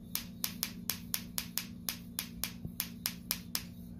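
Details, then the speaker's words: Bench test of a Mercury outboard distributor trigger (third backup) for a 1972 1150: sharp crisp snaps about four per second, evenly spaced over a faint hum; sparks on each rotation, trigger good. "You can definitely hear it a lot better. So I got a good trigger in here."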